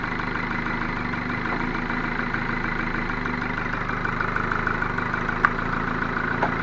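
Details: Ford Focus 2 1.6 100 hp engine after a rebuild (block bored to +0.5 mm oversize, new pistons and bearings): steady idle with a faint light tapping running through it. Engine knock present after the rebuild, cause unclear.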